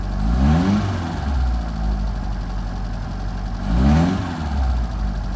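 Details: 1978 FIAT 124 Spider: uneven, lumpy idle stumbling between two quick throttle blips; rough idle, cause not yet found.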